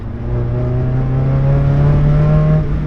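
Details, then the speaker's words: Drift Miata still misfiring after new coil packs, plugs and wires, feeling slightly underpowered, under acceleration: steady drone with a wobbling wah-wah exhaust pulsing. Low compression, valvetrain, rings or fueling are suspected; cause not found. "rd noise that happens when I accelerate, and it almost sounds like an external wastegate. Like the exhaust goes, I'm gonna do it with my mouth like a fool, but it goes, wah, wah, wah, wah, wah, wah, wah."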